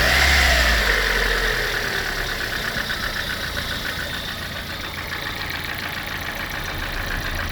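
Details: Lada engine 21126: rapid, regular light knocking about three to four per second over a steady idle; abnormal internal engine knock of unclear origin.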